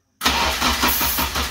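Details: Toyota AE86 Corolla with swapped Honda K24, first start attempt: starter churns steadily about three beats per second but engine never fires; crank no start, spark not yet checked, cause unconfirmed.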